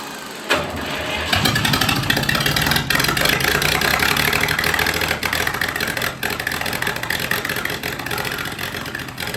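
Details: 1962 Fordson Super Dexta diesel tractor after 25 years sitting: it cranks, catches and runs raggedly with uneven, surging beats and dips because air is still in the fuel lines and needs more bleeding.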